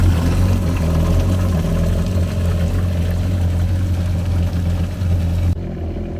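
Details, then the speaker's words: 2013 Yamaha WaveRunner VXR 1800HO running during winterizing: steady low engine drone with water sloshing and gurgling from the engine discharge outlet, confirming cooling water flows normally. "all right so this is exactly what we were looking for we were looking for water to come out of the uh the engine discharge right here so we know that our cooling system is actually getting water so that's a good thing hear that water just like gurgling"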